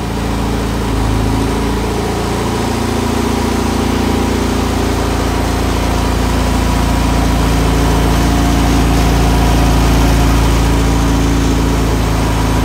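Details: Engine in the Honda EG hatch project, pulled from a flipped-over Integra and feared to knock or have a spun bearing. Start after fuel lines were primed and hoses reconnected: loud, steady idle with an even pulse and no knock or bearing rap. It runs healthy.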